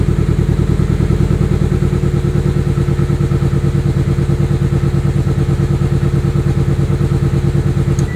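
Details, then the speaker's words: Turbo car just fitted with RC 750cc injectors replacing 550cc, tune restarted from scratch: lumpy, uneven idle with stumbling, missing exhaust thumps. Two misfires; suspected bad injector pulse signal, clogged or burned-out injector. "problem clearly something's wrong I've got two misfires what it sounds like but what it is most likely is either a bad injector pulse signal a clogged injector or a burned-out injector"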